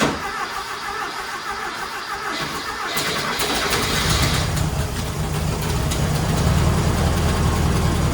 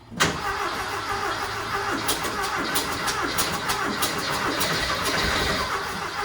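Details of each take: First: Rat rod Porsche with a custom turbo setup, redone turbo intake tube and bigger carburetors, starting after the work: catches after brief cranking and settles into a steady, even idle with no knocks or misses, sounding much better than before. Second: Rat rod Porsche with custom turbo intake and bigger carbs, first start after install: engine fires and keeps running fast and uneven, never dropping to idle; throttle hanging open, needs a better return spring.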